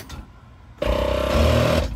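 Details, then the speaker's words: ARB compressor, ignition on, checked for a leak before engaging the lockers: a click, then a steady hum for about a second and a clean stop; it should not recharge for about 15 minutes, a normal cycle. "you can hear it clicked and then it powered up uh aired up a little bit more and it stopped and it should not recharge for about 15 minutes"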